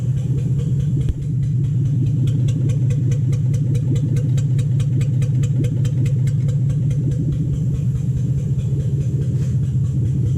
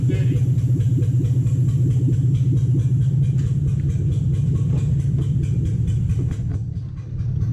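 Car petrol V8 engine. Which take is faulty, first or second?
second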